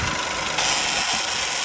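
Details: Peugeot 107 idling just after a crank sensor replacement fixed a no-start: a fast, light ratchet-like clicking rides over a steady idle hum; the source of the tick is unclear.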